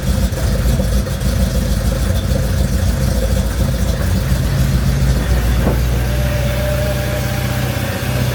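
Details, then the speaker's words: Mercedes CLK55 AMG with swapped M113K V8, just fitted with a Hellcat fuel pump, fuel rail around 55–62 psi: on cold start it runs jumpy with surging revs, a backfire pop, then recovers; owner suspects it's from sitting unused. "all right for whatever reason on those cold starts it's being a little bit weird it's like real jumpy and then it does kind of like a backfire and then uh comes back to life"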